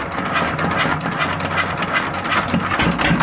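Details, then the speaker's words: Single-cylinder diesel just after fitting connecting rod to piston, no exhaust muffler or air filter: loud, rough unmuffled clatter at steady idle with sharp intake and exhaust noise; runs evenly, no knocking. "Nah ini sudah kita hidupkan. Baik sahabat, ini mesinnya seperti ini, nggak ada knalpot dan juga filter udaranya nggak ada ya guys, jadi trugul seperti ini guys."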